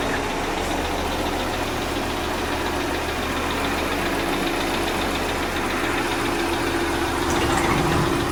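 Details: Audi Q5 2.0 TFSI after engine replacement, cold start; fast, even ticking clatter over the idle, loud enough to hear outside the garage, abnormal lifter clatter.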